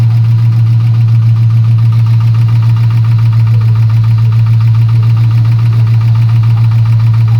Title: LS1 Camaro engine knocking sound